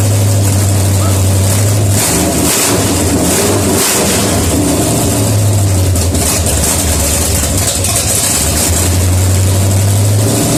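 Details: 1972 AMC 360 V8 first dry start after rebuild, bored 30 over, 310 duration/510 lift cam, Holley Demon 750, HEI, Hooker headers open, no coolant: loud lumpy-cam idle with throttle blips, steady and even, sounds good.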